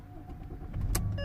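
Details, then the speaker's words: 2006 Mercedes S320 CDI W221 diesel after glow plug repair (engine and glow plug lights had been on, long cranking, rough running): brief crank, catches almost at once, glow plug light now off; normal quick start. "Yep, quite straight away. And as you've seen, my glow plug light now is off."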